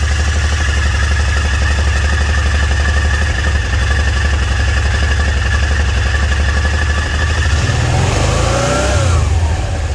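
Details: Kawasaki Teryx 800, owner suspects clutch or wet clutch issue: lumpy low idle, then a thin screech sweeping up and down with revs from the drive side under load; screeching noise, cause unconfirmed.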